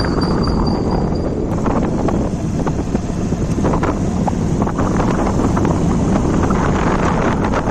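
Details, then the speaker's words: Hero Shine motorcycle with a rebuilt engine, after the primary gear was replaced to cure a crack-like primary gear noise, mic placed low near the engine: even drone under wind noise with no rattles from the primary side. Normal running after repair. "जो भी इसका sound था वो भी बिल्कुल sound बिल्कुल बढ़िया first class"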